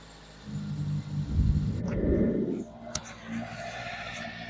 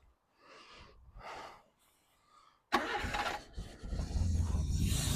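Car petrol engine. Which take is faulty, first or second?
second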